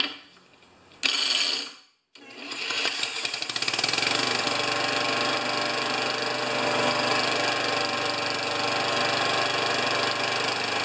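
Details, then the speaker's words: Older Murray Classic mower engine spun by a drill: high, fast whir turns the engine steadily but it never fires; cranks without starting, and a carburetor needing cleaning is suspected, with an electrical fault not yet ruled out. "did you hear it I'm sure you did so I guess I have to clean the carburetor"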